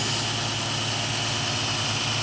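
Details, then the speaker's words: 2006 Dodge Charger 3.5L at idle after cutting out the leaking exhaust flex joint and welding in new stainless pipe: steady, even smooth hum with no puffing or ticking; no leaks. "see right through the damn thing I love it sounds good no leaks ugly 12 tires no leaks"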